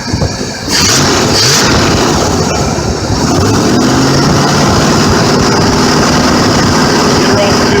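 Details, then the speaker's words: 1985 Chevy 454 RV engine after new Belden plug wires, AC Delco platinum plugs (replacing the original 1985 plugs) and a new alternator belt; choke already set. Idle about 750–800 rpm with about 20 inches of vacuum; it revs and settles smoothly with no misses. "set up all the new plug wires she sounds like she's running a bit smooth"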